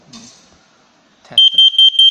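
Four rapid, shrill high-pitched beeps from a carbon monoxide alarm in self-test, working normally.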